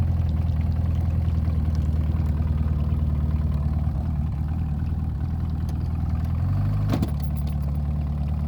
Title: Etec Rough Idle